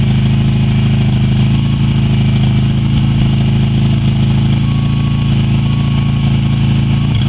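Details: Yamaha Virago XV250 V-twin first started after 6 years in storage, with fresh fuel replacing black tank fuel and no throttle cable fitted; steady, even thump at constant idle with no knocks or misses, running smoothly.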